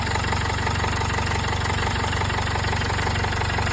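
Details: Jaguar XF 2.0 L diesel at first start after turbo and DPF replacement, with oil topped up. Even idle clatter of about three beats a second, no exhaust leak hiss and no vibration: normal idle.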